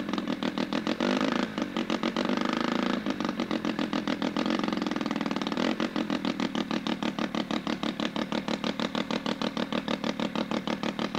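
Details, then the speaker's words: Sachs Wankel 303 rotary with a 1000cc Mikuni carb, points ignition, and muffler off. It gives fast, even, crisp exhaust pops at a steady idle with no misses and sounds healthy. "As you heard, I took the muffler off so you could actually hear the motor."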